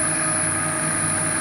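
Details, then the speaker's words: Upgraded drill press on a VFD (single-phase-in, three-phase-out inverter) with new belt, test run at reasonably high speed: steady, even motor hum with a clean constant whine, no knocks or wobble; smooth, vibration much lower than before. "i don't know if you can really hear it on the video but that sounds really smooth it's nice in terms of vibration"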